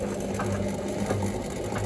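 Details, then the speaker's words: Indesit WIDXL126S washer-dryer found left on the kerb: a repetitive ratcheting churn with a low hum keeps cycling at wash speed but never spins up. The owner suspects the motor and plans to hot-wire it to check for arcing. "just keeps faffing around it doesn't actually spin"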